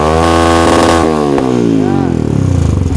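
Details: Yamaha Vixion single-cylinder during a charging-system check: it revs up smoothly and settles back with a steady, even exhaust beat. The battery reads 12 V off, 13 V at idle and 14 V when revved, so charging is normal.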